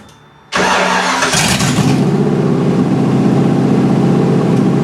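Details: Miata with a 5.0 V8 swap, first engine start: cranks briefly, fires and catches, settles into a loud, steady, even open-exhaust burble before timing is set; V8 starting and running cleanly.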